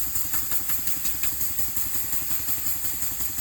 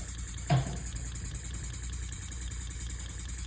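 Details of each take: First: Elmer's #33 model mill steam engine run on compressed air at about 20 PSI, regular exhaust puffs near 170 a minute over a constant high hiss; air leaking around the cylinder head and the packing nuts. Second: Elmer's #33 mill model steam engine on compressed air, now at about 2–5 psi: soft, even low chuffing with steady rhythm, no knocks; much quieter than before, only a slight leak at one fitting; normal running.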